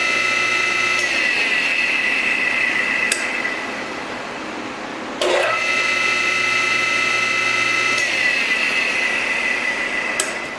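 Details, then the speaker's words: RIDGID R4512 table saw motor after repair, tested on a temporary 120 V cord: whine climbs to steady high hum with a crisp click as the centrifugal switch opens; normal motor start with centrifugal switch click. "okay it's spinning no problem and you do that click that click is the this switch opening"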